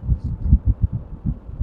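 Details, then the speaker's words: AC outdoor unit fan after a noisy rattle was stopped by wedging paper or plastic against the loose part: only a soft low whoosh of air with a gentle throb; normal fan airflow. "nah hilang ya kan tuh sekarang senyap ya Nah gak ada suara sama"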